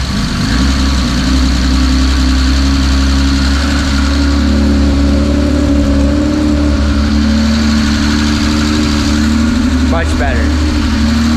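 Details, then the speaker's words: Built turbocharged Mazda MX-3 with 2.5 bored-out forged engine, custom cams, billet rods and pistons, first startup after fixing vacuum leaks: steady fairly smooth idle with deep even drone, no misses; still running very rich. "honestly it's still running mad Rich"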